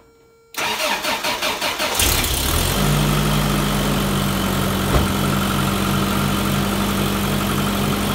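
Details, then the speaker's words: 1990 Toyota pickup after replacing the clogged idle air control valve with a junkyard one, curing the hesitation and backfire: about six even cranking pulses, clean catch, then a steady smooth idle with no backfire; normal start and idle. "I put that one from the junkyard and ever since I did that is running better a lot better"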